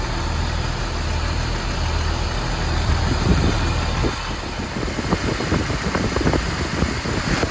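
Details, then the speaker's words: Jeep Wrangler TJ after full tune-up with new spark plugs, wires, distributor cap, rotor, ignition coil, 4-hole fuel injectors and fuel rail heat shields: steady even idle with light tick; no misfire or rough idle, quieter, normal idle. "Seems to be running pretty smooth. No misfire or rough idle. It's actually a lot quieter and the engine sounds really good."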